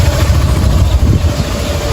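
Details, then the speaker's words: 50cc motorcycle after replacing the bearing behind the clutch bell plus connecting rod, piston and cylinder: steady, even, smooth idle with no knocking; earlier noise gone. Normal idle. "barulhinho sumiu certo Tá um [Música] luxo aí meu"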